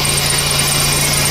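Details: 2004 Chevrolet Impala SS, supercharged, idling after the oil leak was fixed and the oil refilled with 10W30; valve covers still seep: a steady, even hum with a faint whine, no knocks; healthy idle.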